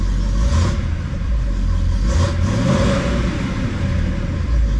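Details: 1971 Oldsmobile Cutlass convertible V8 after Quadrajet carburetor repair: deep, steady rumble with a slight rise in revs, running evenly without misses or stumbles; healthy.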